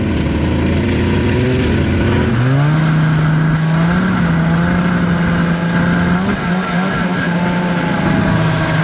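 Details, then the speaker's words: Old Yamaha ET two-stroke snowmobile, riding on the trail: drone climbs then sags under load, lumpy and down on power; misfire, owner thinks it is running on maybe one and a half cylinders, suspects a bad motor, cause unconfirmed. "The old ET is kind of running on like maybe one and a half. Pretty bad motor, but hey, she's still running."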